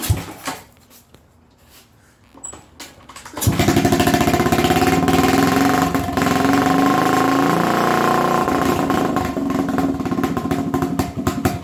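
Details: 1980 Honda XL250S: the single starts after a few tries, then stutters with an uneven, stumbling beat. Richer than the middle mixture setting it stutters; leaner than the middle it shuts off.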